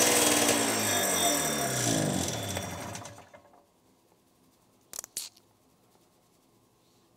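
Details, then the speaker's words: Snowmobile two-stroke, first start after going over the ultrasonically cleaned carbs: rough, uneven beat for about three seconds before it dies; still running poorly, fault not yet found, carb screws to be adjusted next. "still not right"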